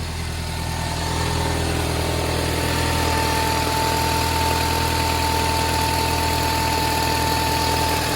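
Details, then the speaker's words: Toyota Harrier 5S-FE cold start: a fast, fairly even rattle at about four per second over the idle, present for four months and growing, fading as the engine warms; timing belt checked OK, cause unknown. "Какой-то треск стоит, не могу понять, что за треск. Когда машина прогреется, треск пропадает. Но как только заводишь на холодную, какой-то треск стоит."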